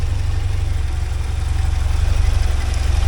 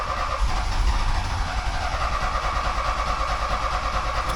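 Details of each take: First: 1979 Porsche 924 after resetting the timing that had been one gear off: deep, even low idle pulsing about four times a second, and the earlier clicking has stopped; back to running normally. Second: 1979 Porsche 924 being restarted after the distributor was apart: steady starter cranking about three turns a second for over four seconds without catching; the distributor was installed one cog off, putting ignition timing out, so it is hard to start.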